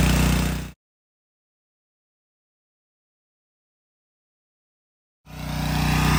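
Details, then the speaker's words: Subaru EA190V pressure washer engine after a no-start fix, running: steady speed with even, regular firing and no misses or knocks, healthy, with the pump working well and spraying hard; normal running. "engine sounds good see if that pump didn't work that's what it would be doing so I'm very happy with that"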